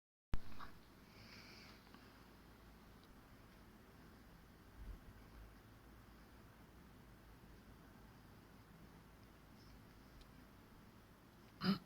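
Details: Fujitsu ASYG24 KLCA indoor unit No. 2, fan on level 1 Quiet: soft, steady low hush of air with no ticking, rattling or rubbing; normal quiet fan operation.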